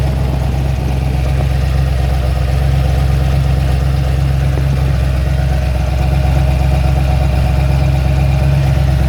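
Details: Ford XC GXL under restoration with a 351 V8, not warmed up: a deep, steady V8 burble holding an even idle with no tapping, misses or hunting. A normal idle.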